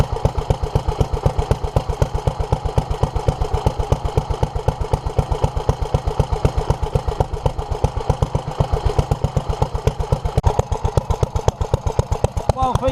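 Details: 1947 Petter A2 single-cylinder engine after stripping and ultrasonically cleaning its Zenith 24T2 carburettor and replacing leaking fuel pipes: steady even thumping at about four firing beats a second; engine running, though a fuel leak remains under the carburettor.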